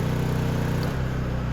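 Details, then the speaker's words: Honda EU2000i inverter generator after valve lash adjustment, in Eco mode powering a two-stage 1500 W heat gun at full, about 1470–1480 W: steady, even drone dropping in pitch as load comes off, no misses or ticking; normal running under load. "we drop it to the full tilt and we're seeing about 14 70 1480 this is looking good"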